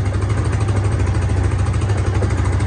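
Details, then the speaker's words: Hisun 550 UTV after replacing the clogged fuel injector and adding a 30-micron fuel filter: steady, even low thump at idle with no misses, stumbles or backfire; before the repair it would not stay running, now it idles smoothly. "is this sounding better idling a lot better you heard before it wouldn't even stay up running"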